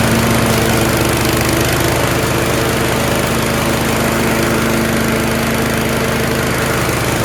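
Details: Yard Machines 13.5 HP Tecumseh 38" riding mower, after fixing slow cranking: single-cylinder engine holds an even, steady idle beat, no misses or surging; running normally.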